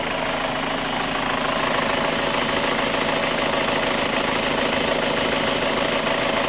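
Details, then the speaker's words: 2005 Chevy Cobalt LS 2.2L with a P0304 cylinder 4 misfire code, idling: an even, light tick of about 200 a minute from up top; the owner places it at the exhaust or intake cam, not the bottom end, and suspects a lifter, unconfirmed. "Yeah, that's on the exhaust cam, or intake cam, I mean, where that noise is coming from."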